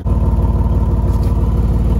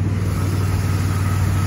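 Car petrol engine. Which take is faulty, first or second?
first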